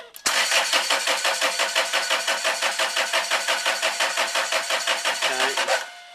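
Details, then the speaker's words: Land Rover Freelander 2 2.2 diesel: steady cranking at about four to five compression beats a second that never fires. Air in the fuel system, which does not self-bleed; fix is to crack the injector bolts to bleed it. "okay so it's not self bleeding or not without doing a lot of trouble so what we'll do is we'll just crack off one of the the bolts on the injectors here"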